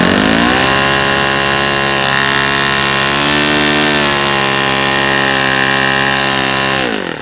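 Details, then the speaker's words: New O.S. FS-40 Surpass four-stroke on its second run: high buzzy full-throttle run whose pitch sags and recovers, hunting with small high-speed needle movements; owner suspects it needs the fuel tubing trick. "a sounds like this needs that fuel tubing trick done on it fuel tubing trick or tip done on it because I'm getting a little variability and high speed just from moving the needle a little"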